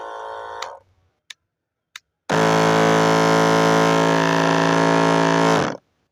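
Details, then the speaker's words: Battery sprayer pump with two motors: the bad motor gives a harsh, rough buzzing drone for about three seconds, while the other motor runs smoothly; worn shaft with excessive play found when it was opened. "दोस्तों इसमें से एक motor soft चल रही है और यह दूसरी मोटर है वह बहुत ही आवाज दे रहे हैं उसका आवाज सुना दो"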